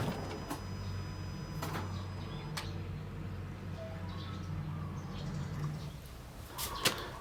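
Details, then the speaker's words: Isuzu All New D-Max 2.5 VGS diesel after fitting a new SCV: a low, steady, even idle, much quieter than before, with the solenoid noise gone. Normal idle. "หลังจากที่ผมได้ทำการเปลี่ยนSCวาล์วตัวใหม่เข้าไปนะครับจะเห็นได้ว่าเสียงเครื่องนั้นเงียบลงกว่าเดิมมากๆนะครับ"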